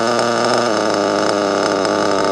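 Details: Nitro RC car engine buzzing at high pitch, then the note drops and sags when the brake is touched; the brake linkage is set too close, dragging and loading the engine down.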